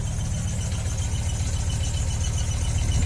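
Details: Ford Focus ST 5-cylinder, new MAF sensor fitted: low, lumpy idle pulse about every quarter second that never settles, bogging down; misfire persists, not solved.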